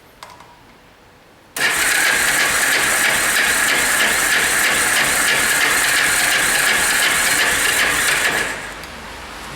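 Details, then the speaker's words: Yamaha Special 250 classic carbureted bike, cold, hard to start: catches and runs briefly with a thin uneven buzz, dies after about seven seconds; mechanic suspects clogged low-speed carburetor jets and plans to remove and clean the carburetor. "desmontar el carburador a ver si los chicles de baja tienen algún tipo de problema están atascados de ser algo más seguro pero vamos que no es normal"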